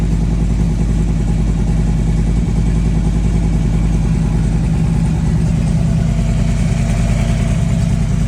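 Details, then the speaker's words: Harley-Davidson V-twin idling in gear: loud, lumpy idle with harsh clattering chatter through the drive. The auto primary chain tensioner has the primary chain far too tight, loading the compensator and clutch; replacement with a manual tensioner is recommended. "Alright, so this is the culprit. It's just too tight."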